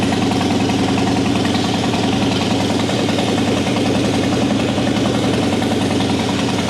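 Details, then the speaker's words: 2003 Harley-Davidson Softail Deuce Twin Cam, 400 miles, previously cranked but wouldn't start; after fuel-side repair with pump holding about 55-60 PSI, in neutral: steady even V-twin idle, low lope, no stumbles or knocks; normal idle. "Pretty easy diagnosis, pretty easy fix, and we got it running again."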